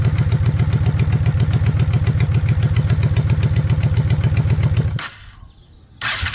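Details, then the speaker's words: 1995 Honda Shadow VLX 600 being rebuilt, carbs already cleaned: while the idle screw is adjusted, the idle is a low, even thump that sags almost to stalling near five seconds, then catches again, a rough idle. "I just want to hear it idle a little better because it idles, but we'll see."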